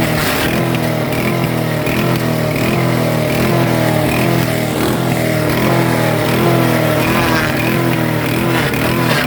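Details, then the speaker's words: Super Handy wood chipper engine after about 60 hours: engine speed rises and falls about once a second in steady hunting rhythm; surging because the throttle lever is broken and can't hold a setting. "It's just, and you could hear it surging. And I found out why it didn't start surging, because when I turned the throttle up, this here is actually braking. The lever is braking."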